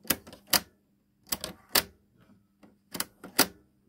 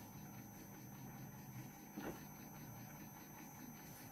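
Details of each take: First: Samsung RCD-M70 radio cassette deck A: sharp plastic clacks in three quick bursts as auto-stop keeps tripping; the reel-drive spindle pops out and doesn't hold; deck B works normally. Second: Samsung RCD-M70 boombox cassette deck on fast-forward: quiet, even whir with a faint steady hum, no catches or squeals; tape winds smoothly, normal (rewind is noisier).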